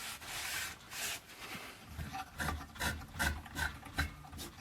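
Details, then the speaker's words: Stromberg Carlson 10A79 radiogram after restringing the dial: dry scraping rub repeating two or three times a second as the dial turns; tuning drive grating, possibly the tuning capacitor or its mounts, suspected to need lubrication. "Still sounds like that's graating on that thing there. Maybe it's the actual tuning tuning capacitor. Probably needs a lube as well."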